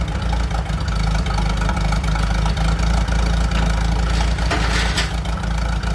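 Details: 1947 Chrysler, an old junker revived and started for a drive: low, slightly uneven idle with a steady thump and no knocks or rattles; judged a good runner, idling acceptably, though the clutch is suspected seized.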